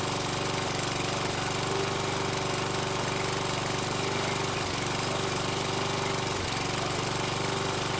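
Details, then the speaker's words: Toro Recycler mower with Kohler 6.75 (XT675) engine, running after a replacement carburetor: runs hard but very smoky, burning oil, briefly cutting out for milliseconds then catching; intermittent misfire, cause uncertain. "okay extremely Smoky it it was uh cutting out intermittently but a lot better than it was with the um original carb it would cut out for a second or two and then catch itself with this carb it's only dying off for milliseconds and then catching itself"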